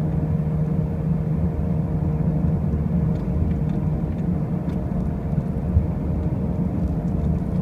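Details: 2005 Pontiac Grand Prix with brand new wheel bearings and new tires: a steady, loud low drone and rumble while driving, unchanged throughout; a noise at speed whose source isn't evident.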